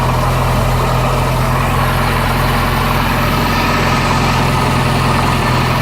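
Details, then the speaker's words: 1985 Bayliner Trophy inboard, out of the water at least 3 years, finally running: a steady, even low rumble with no misses. "Well, it runs. See if I can get it to idle when I throttle back down. But she's running."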